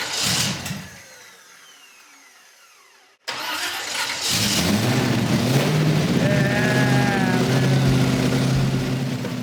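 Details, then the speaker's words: Custom hot rod (Space Junkie) with exotic dual carburetors, first start after reassembly: sluggish, dragging crank, a pause, then it catches and settles to a steady idle; starter turning it slowly, needs tuning. "Yeah, it's cranking kind of slow. The starter sounds funny."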